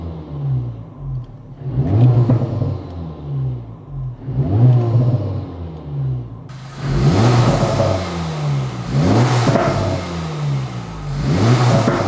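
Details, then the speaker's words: 2024 Acura Integra Type S (FL5) turbo engine with a new Sprint/Spoon air filter; repeated rev blips every couple of seconds, each with a rising intake whoosh and turbo spool over a clean engine note, healthy. "Now, I've always loved induction noises, so growing up with Hondas and all that VTEC crack and all that, I love the sound of the suction noise."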